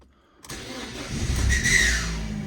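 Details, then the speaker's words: Newly acquired project car with damage and 64,000 miles, key start: the engine cranks and catches with a harsh raspy scraping, then ticks over fine. Starter motor or alternator suspected, not confirmed. Scraping noise on engine start. "serious it sounds like a serious scratching noise from something"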